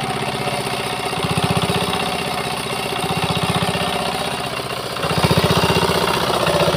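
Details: Old Changhuang R175A single-cylinder Chinese diesel, fully restored after not starting: steady thump at about four beats a second, even and regular with slight load swells; healthy running.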